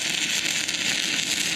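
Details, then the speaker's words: New inverter stick welder burning E6011 rod on dirty, rusty, painted metal: rod started right away, dense steady crackle and hiss, strongly burning arc with no sputtering, a lot more power at same settings; normal stick welding arc. "it started right away and and you can hear there's a lot more power in the world"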